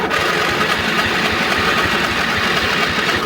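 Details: Craftsman GT5000 riding mower, 22 HP Briggs & Stratton V-twin OHV, tried with choke: starter churns the engine with an uneven chug, about four turns a second, but it never catches; cranks without starting, carburetor suspected.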